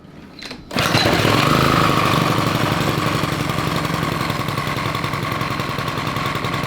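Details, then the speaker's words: Honda 5 hp overhead-cam engine on a yard kart: it catches after a short pull and runs steady and even with no misses, though the fuel pump is leaking and spraying fuel while it runs. "It sounded pretty good. Yeah, dude. Sounds good. Yep. Got a runner, man."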